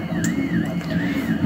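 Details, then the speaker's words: 3D printer with dry filament, retraction set to 5 mm at 40 mm/s: stepper whine sweeping up and down over a low hum, with sharp pops from the nozzle sucking in air after retraction; too much retraction, fixed by reducing it to 2 mm. "it's retracting five millimeter at 40 millimeters per second and you can hear how it's popping so it's still sucking air into the nozzle and popping"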